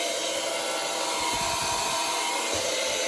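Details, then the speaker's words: Liberty transfer pump draining a failed 40-gallon indirect water heater: steady high-pitched hiss and whine with uneven low rumble; pump sounds abnormal, likely from previously being run dry too long. "All right, so right now we are pumping down the water heater. Why Mike's Liberty transfer pump sounds like this, I have no idea."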